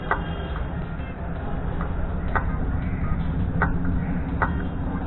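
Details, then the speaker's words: Bajaj Avenger motorcycle, owned about two years, ignition on, in neutral: rapid irregular ticking, about four a second, with no cranking or firing when starting; the starter is clicking, caused by a weak battery. "but something strange happens when I try to I try to start the motorcycle what's this"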